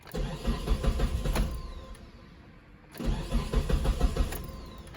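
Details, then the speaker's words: 2006 Mitsubishi Eclipse GS (4G69): fuel pump module connector unplugged and engine cranked until it died to release fuel pressure before pump replacement; two bursts of rhythmic starter cranking with a pause, engine never catches: cranks, no start, no fuel pressure. "All right, since it won't start, that means the pressure is out of the lines."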